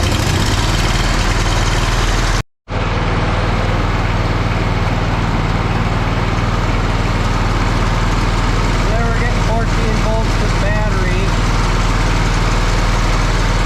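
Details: Lesco zero-turn mower with Kohler CV20 20 HP V-twin, after charging-system repair with new regulator/stator parts: steady, even low rumble with smooth firing beat and no knocks or misses; running healthy.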